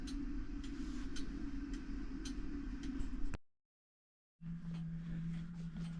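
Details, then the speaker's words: Repaired fusee clock movement back in its case: crisp, even ticks about twice a second over a faint hum. It is running well but slightly slow, so the pendulum needs adjusting. "so the Clock movement is back in its case and as you can hear and see um the clock dance clock is uh running perfectly it's running a little bit slow so I have to adjust the pendulum"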